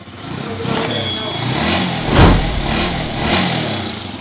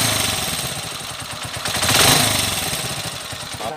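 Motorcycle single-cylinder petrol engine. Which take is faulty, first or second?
second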